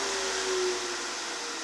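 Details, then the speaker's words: Workshop dust collector on 15 amp remote plug running at full speed: smooth steady whine over strong even rush of air, no wavering or labouring; normal running. "So you can hear it fire up, you can hear it get to full speed, and once it gets to full speed, it seems like it doesn't have any issues."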